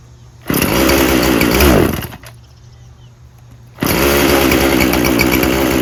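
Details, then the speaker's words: Poulan Pro 50cc 20-inch chainsaw with little gas and no bar oil: snarls briefly, sags and dies, then catches and runs roughly; bogs and won't stay running, low fuel suspected. "I don't really think it works just fine. I think it bogs. Won't stay running."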